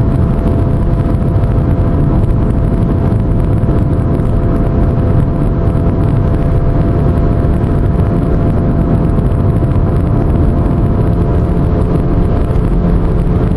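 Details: Pontiac cruising with steady low drone under road noise like a distant airplane; suspected bad wheel bearing, unconfirmed.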